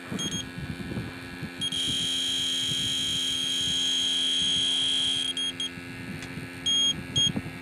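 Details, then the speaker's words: Refurbished R12 AC compressor for 1988 Jeep XJ checked with electronic leak detector: steady shrill alarm then quick beeps, likely falsely triggered by fresh refrigerant residue, though a leak is suspected. "Sometimes what will happen is if there's one leak, like the other day, I had the equipment all hooked up to this port, and because it had fresh freon going in and out of it, it showed leaks everywhere. Kind of like right now."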